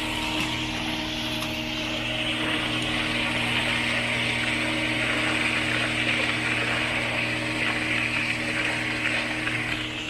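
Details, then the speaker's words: Pool pump regaining prime after losing it, valve slowly cracked open: steady loud pump drone with rough gurgly hiss as it sucks air through the suction line while priming. "Kind of making a little bit of noise, it's sucking the air through."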